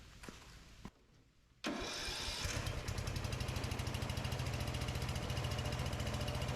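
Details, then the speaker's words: 2004 Craftsman 30-inch mid-engine rider built by Murray, cold start after carburetor adjustment, run with the kill-wire harness unplugged: a quick start, then a steady, even putter at idle with no misses or knocks. Runs healthy. "all right so round's good actually sounds good"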